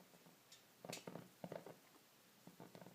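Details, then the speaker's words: Cadac Safari gas burner turned down until the flame makes irregular soft pops and crackles, the sign it is too low; then opened 1/8 turn to regulate. "first let's regulate the flame this should be turned down until the flame starts making a noise"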